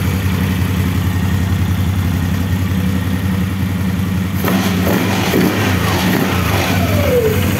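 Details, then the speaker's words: CF Moto X8 ATV after repairs and servicing, engine running with a couple of throttle blips: steady even note, no extraneous sounds, no metallic grinding or knocking; engine runs like a clock. "now we are starting the engine we hear that our engine runs like a clock, no extraneous sounds, no grinding of metal, we have"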